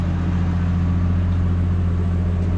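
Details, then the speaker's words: Classic Ford Falcon revived after years parked on a farm, being readied for registration: a smooth, even, low idle with a steady hum and no misses, knocks or ticks. Normal idle. "The Parkers are working indicators are working she's running quite good now"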